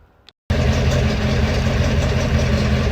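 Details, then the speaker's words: Datsun 620 pickup, California import, cold start on choke: engine catches and settles into a steady, even, very quiet low idle with no knocks, misses or smoke. "i should hear engine wise extremely quiet it's on choke chokes out no smoke"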